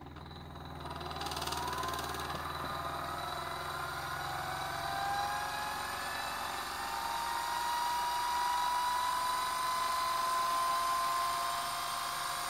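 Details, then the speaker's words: Motor for an eBike driven by a simple PWM controller with four MOSFETs (staying cool), speed wound up from barely moving by potentiometer: smooth whine climbing steadily in pitch, no grinding or knocking; healthy, fully controllable. "So you have full control of the speed of the motor. A nice, really powerful motor being driven by a very small circuit and a few MOSFETs, which don't even get warm."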